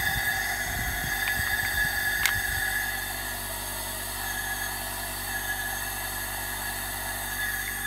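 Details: Honda F20B inline-four, engine stopped, leak-down test on cylinder 4 with low compression: faint steady air hiss with thin whistle as pressurized cylinder bleeds past a bad intake valve, possibly held open by carbon buildup.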